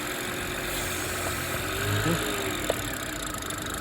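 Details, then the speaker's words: BMW after replacing a torn PCV (crankcase ventilation) valve that was blamed for an engine screaming noise: engine drops to a smooth, even idle with no whistle or screech; normal idle. "But as you can see, the car right now is running amazing, right? No, it's good. It sounds good too, right?"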